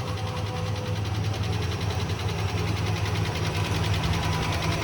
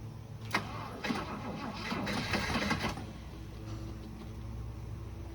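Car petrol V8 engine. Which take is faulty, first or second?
second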